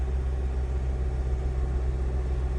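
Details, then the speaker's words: 2003 Honda CR-V with P0505/P1505 idle air control codes, IAC valve replaced twice and idle relearn tried; smooth, even drone stuck around 2,000 rpm with no dip or hunting. Owner suspects throttle body; vacuum leaks checked, none found. "Stays at 2,00. I tried doing the idle relearn process where you keep it at 3,000 RPMs. I had that in there for like 5 minutes. Still no difference."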